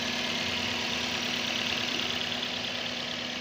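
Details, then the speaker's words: Toyota 2NZ engine after rebuild, installed in the car and idling: steady, even idle with a light regular tick over a smooth hum, no knock or miss; running healthy. "ያው ሞተሩን ጭነ ነው። አሁን በጣም አሪፍ ድምጽ ላይ ነው ያለችው። ቆንጆ ናት በጣም።"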